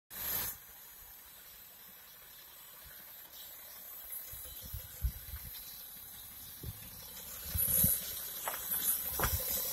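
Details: 2012 BMW E70 X5 diesel: a steady hiss with faint gurgling, like liquid or gas filling an unidentified under-hood tank. The noise comes from inside the tank; the cause is unknown.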